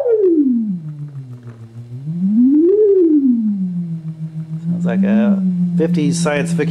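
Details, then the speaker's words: 1964 Leslie rotary speaker from a Conn organ, being converted for external use, fed from a tone generator: a swooping tone rising and falling in slow waves with a steady horn warble; speaker and rotor work perfectly. "but at least the speaker and the Leslie unit themselves working perfectly"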